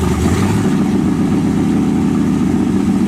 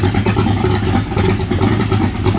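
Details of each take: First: 1923 T-Bucket kit car, carbureted V8, just started cold: lumpy, uneven low rumble with the beat wandering and dipping as it tries to die; owner says it needs choke. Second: V8 in a 1923 T-Bucket kit car, warmed up after needing choke: deep, lumpy burble with quick, clean throttle blips and no knocks or rattles, a healthy engine.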